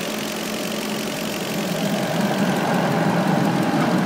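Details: 2003 Audi A8 4.2 V8, running: fast, slightly uneven ticking about three to four per second over the engine note, recently started, owner thinks from in or near right side of engine; source unconfirmed.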